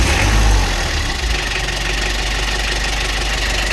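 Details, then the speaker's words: Used car being reviewed at a dealer, engine mounted under the front seats, started and idling: steady diesel idle with an even, quick clatter of about four beats a second, no misses or blow-by, described as crisp; oil dipstick and filler cap show no blow-by. "Posisi udah nyala ya. Suara mesinnya terdengar masih renyah. Dari suara sangat jelas teman-teman, masih sangat renyah."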